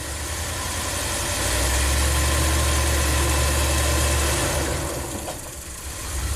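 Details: Ram camper van with 5.2 fuel injection that stalls after hot soak; at slight throttle the IAC drops as if at idle: steady low idle hum, then revs sag and the note drops before recovering; throttle bores found black with carbon.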